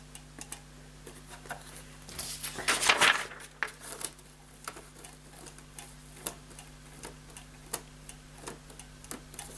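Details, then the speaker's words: Paper shredder that runs on after shredding and overheats, reassembled after its paper sensor switch was reworked: crisp, light clicks at an uneven pace over a faint hum as the sensor switch clicks back cleanly every time. "screws I just wanna see if this is clicking back yes it is and you can hear it clicking listen"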